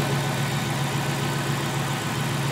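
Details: Ford 4.6 V8 Mercury Grand Marquis after an unplugged coil was found: smooth, even low idle rumble with no stumble or skip, all cylinders firing; normal idle.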